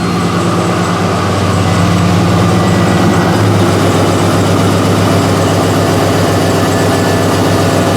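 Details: LS-swapped Mazda B2200 V8 after Bosch 044 fuel pump trouble and fuel system changes: deep, steady idle with even beat, no misses or knocks; engine running healthy.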